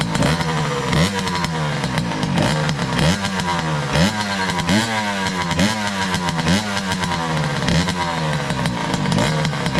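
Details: 2003 Kawasaki KX60 two-stroke on 40:1 premix, just revived, choke off; raspy blips rising and falling back unevenly, revs sagging. It bogs and won't run off choke.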